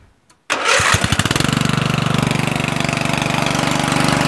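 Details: Murray 14.5hp 42" widebody LT lawn tractor after ignition rewiring and solenoid ground fix, lights on, charging 13.5–13.7 volts: fires at once, steady even beat about four pulses a second, no misses; normal running.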